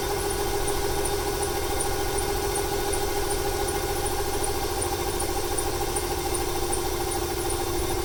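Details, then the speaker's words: 1995 Ford 300 inline-six truck engine with over 400k miles idling with an uneven, lumpy beat like a misfire; it stutters more on throttle, the owner wonders if fuel or timing is to blame, with smoke from the PCV and a squeaky belt after rain. "It started to stutter there a little bit more when I applied the gas right off the bat. Wonder if it's a fuel issue or a timing issue."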